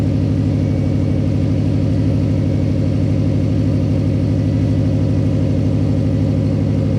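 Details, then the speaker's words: Project car with new 3-inch mid-pipe and muffler, diff-back joint bolted without gasket: steady loud engine note with rapid puffing pulse about three per second; massive exhaust leak at diff-back joint, probably only about 30% exiting muffler. "There's massive, just leak. You can hear it. It's just massive leak."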